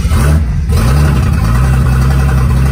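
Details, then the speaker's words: Datsun 280ZX with Megasquirt, after fitting a new optical trigger wheel, first start on sequential fuel injection: the six-cylinder catches and settles into a steady, even idle with a smooth low rumble and no misses; normal running. "it does run [Music] that's running on sequential fuel injection so that's pretty awesome"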